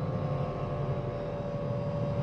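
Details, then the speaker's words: Hyundai Ioniq electric car at 113,945 km: steady, mid-pitched howl over low road rumble, loudest from underneath at the drive motor. Worn traction motor bearing; the motor is to be removed for repair. "तो यहां हमारे पास उसका उपनाम है और यहां हमारे पास मोटर में ऐसा हॉवेल है, वैसे, कार पर माइलेज 113945 किलोमीटर है"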